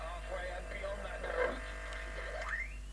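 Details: Ferguson 351U valve radio, heavily tampered with, after fitting the second IF can: faint, hissy reception with a whistle sliding up as the dial sweeps. It works but is very deaf because the IF coils have lost Q; new IF coils were also tried.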